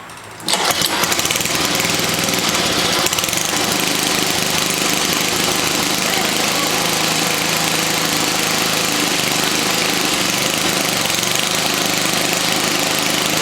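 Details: 1979 Toro 524 snow thrower after repair and clearing twine left by mice: engine catches within a second, settling into a loud, steady, even roar with no misses, knocks or surging. Normal running.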